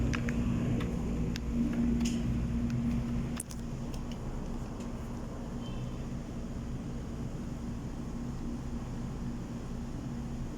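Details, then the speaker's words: Submersible water pump: a few clicks as the pressure switch contacts close after spring adjustment, then a steady low hum; the pump now runs normally and the water meter turns. "Ayan na guys nag-contact na guys. Sabihin umandar na yung submersible pump."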